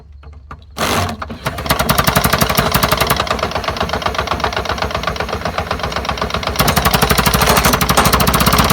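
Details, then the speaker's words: Lawn-Boy "bricktop" mower, drill-spun: steady chuffing about four times a second, never firing or picking up speed; owner suspects a plugged carburetor. "Carburetor's plugged up. Yeah, I think we got carburetor troubles."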